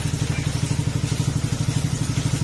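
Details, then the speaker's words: Honda Beat FI scooter after overhaul with crankshaft replaced, reassembled, test start and revving: even steady low putter, no tapping or metallic knock; the ting-tong noise is gone, idles cleanly, needs proper break-in. "Tapos tatry natin baraan. Ayan, tahimik na."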